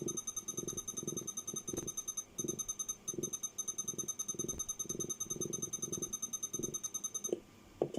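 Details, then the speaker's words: Over-40-year-old Walkman on a plug-in power supply with barely readable display: low uneven purring pulses about twice a second under a steady high whine; owner suspects the power supply can't keep up, unconfirmed. "Really strange noises. Hang on. Oh, I think that's a power supply, it can't keep up."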